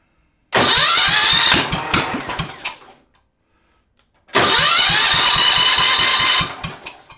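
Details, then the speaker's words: Cub Cadet 582 pulling tractor, Kohler K301, first start on temporary fuel tank and wiring with jump pack, choke off: cranks with even pulses but won't run; weak spark, later traced to bad condenser, replaced. "Trying to fire. All right. I think I need to adjust the points. I did check it. It did have a spark, but it was a weak spark."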